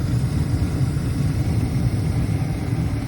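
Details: Carrier horizontal 80% efficient gas furnace with AC, made in 2001 (21 years old), in an attic, during a tune-up: even low rumble with steady airflow, no scraping, squeal or rattle; burner and blower running smoothly.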